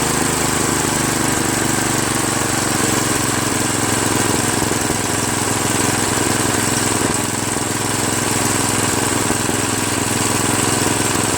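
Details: Craftsman OHV 5.5hp 26-inch dual-stage snowblower, after its surging carburetor was replaced with a Chinese copy and the fuel line and primer hose were reconnected: it holds a constant buzzing pace with no hunting or surging; it runs smooth and idles nicely.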